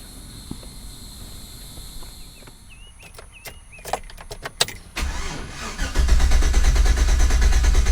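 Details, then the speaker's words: 2008 GMC Sierra with check engine light: several sharp clicks and a brief stutter before the starter catches, then cranks and fires into steady idle; hard start, owner suspects MAF sensor. "so you see how it gives that little stutter before it cranks sometimes it takes a few turns of the key to get it to actually correct"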